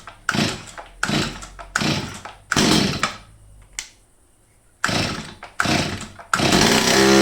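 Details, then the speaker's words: Old STIHL 023 chainsaw, stored two years, after cleaning and carburettor adjustment: repeated crisp bursts to full throttle about once a second climb cleanly without bogging; the saw runs healthy at full throttle. "Bóp cò. Bóp cò một nửa. Bình thường."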